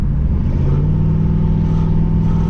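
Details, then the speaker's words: Camaro Z28 V8 driving on a pull after switching back to a less aggressive tune, idle air control unplugged; deep even burble, no popping or stumbles; earlier poor running was traced to the tune: normal running. "Hear it? Smooth as can be. It was all in the tune, all in the software."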